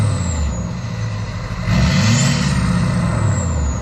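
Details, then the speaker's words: Chevy Duramax LBZ diesel single cab after AirDog 165 GPH lift pump install and fuel filter fill: deep steady rumble swelling slightly midway and holding even, no knocks or misses; normal running. "LBZ sound great, don't they? Anyway, I can't get enough of that sound."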